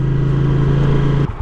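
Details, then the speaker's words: 1982 Honda GL500 motorcycle after sealing cracked intake manifolds with heat shrink and rebuilt carbs, couple hundred miles on: smooth steady twin hum, drops off cleanly as throttle closes, no air-leak hiss or stumble; running fantastic. "All right, well, there you have it. This thing is running fantastic."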